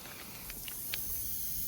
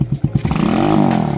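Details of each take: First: Grom clone mini motorcycle after a ride home, new CDI and ignition coil: a steady high airy hiss with no engine note, air escaping from a punctured tyre that can't be repaired and must be replaced. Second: Grom clone single-cylinder minibike warming up after a cold start with a new CDI and ignition coil: blips settle into an even rapid putter, no misses, without the ignition coil fault the owner suspected.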